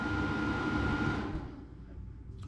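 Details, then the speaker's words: 1500 W inverter connected to pre-wired battery cables, full battery, switched on via RJ45-cabled remote that was not the supplied one; fan whirs about a second then cuts out; shuts down right after start-up, supplied remote required. "Donc quand il s'allume, il fait du bruit et il s'éteint tout de suite."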